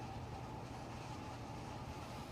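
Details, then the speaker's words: Kitchen double oven, upper oven baking at 350: abnormal whirring noise with pitch wandering up and down, present even after convection fan stops; runs from turn-on until cooled down; repair visited twice, said functioning properly. "and if you hear this noise it's not like a fan running it's a worring sound but it's it's up and down the pitch is all over"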